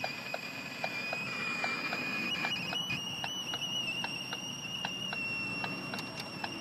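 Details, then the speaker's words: Ford Focus 3, hot 30–34°C day: a steady high whistle in the cabin over faint ticking, seemingly from below, continuing with the engine off, ignition off and key removed. Source unknown. "Как слышно звук не пропадает зажигание выключил полностью вытянул ключ она пищит"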